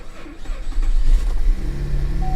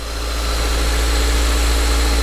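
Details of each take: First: Damaged, roughly 10-year-old car with a worn seat bolster, first start: short uneven crank and catch, then a lumpy, shaky idle vibrating as if misfiring; owner suspects engine health issues seen in other Cadillac CTS engines. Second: Older Mazda manual-transmission car at an auction yard with a strong clutch and recent front struts; the valve cover gasket is not leaking. Smooth, steady low hum at idle with no knocks, ticks or misses. Normal idle.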